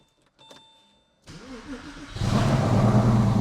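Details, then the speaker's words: Porsche 911 rebuilt as 3.8L, first start after engine and transmission installation: short cranking, then catches cleanly into even, smooth idle on all six cylinders; oil pressure reads about five bar; normal start and idle. "all right for a first start things sound really good we're running on six cylinders awesome"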